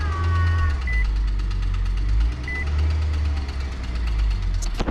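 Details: Nissan Altima 2.5 that wouldn't run, now started after fresh NGK spark plugs and oil squirted into the cylinders; fires and settles into a steady low rumble with a couple of short chirps. Suspected fouled plugs and fuel-washed cylinders. Running properly now.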